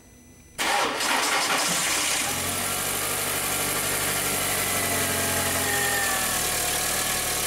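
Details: 2004 VW Jetta 2.0L petrol (BBW) after fuel pump replacement for misfires, lean codes and intermittent no-start: quiet, then a quick crank, engine catches at once and settles into a steady, even idle; considered fixed.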